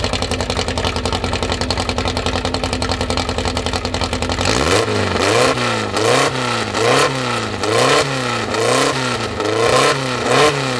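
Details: First start of a newly built 2054 engine (Fusca), idle at 1200 rpm kept high for seating in: loud, busy fast idle, then steady rev swings about once a second; runs evenly, healthy.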